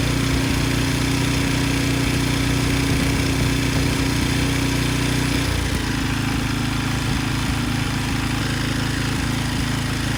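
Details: Briggs & Stratton 10hp single (model 204312) from a Husky generator, first start after rebuild with new connecting rod and piston and used good crankshaft after an oil-starved blown rod: fires right up, steady even governed hum, wind gusts; runs clean, normal.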